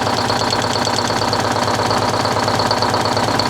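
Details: 1970 Peterbilt 341 with blown-up Detroit 6V71 two-stroke diesel, unused since 2018: steady heavy knocking about two per second over a rough idle, smoke; two dead rear cylinders, one each side.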